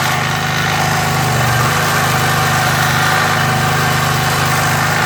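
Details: MTD edger with a 3.5 hp Briggs & Stratton engine that had sat unused and not run, after cleaning and fitting the idle adjustment screw; choke pulled, RPM brought up, run without an air filter. Steady, even fast idle with no misses or surging; runs healthy.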